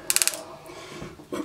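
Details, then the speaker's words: Banshee Orange Box ignition with Caltric ST108 stator, FR100 gold flywheel and replacement coil, NGK BR9ES plugs, zero-ohm caps: flywheel spun by hand at about 200 RPM gives four crisp strong spark snaps; normal starting spark. "So what we're going to do here is we're going to roll over this gold flywheel by hand at about 200 RPM so you can see the starting spark. I don't know if you can see it too well, but at least you can hear it."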